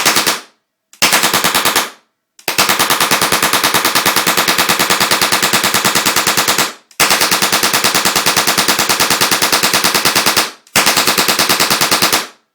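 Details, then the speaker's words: Deactivated UK-spec M26 Chatellerault light machine gun converted to LPG propane-oxygen gunfire simulator, about 5 psi each gas: bursts of rapid, evenly spaced sharp cracks with no misses, flash at the gas port; firing normally on very little propane. "well that's rather nice as you can see the gun requires very little propane to fire"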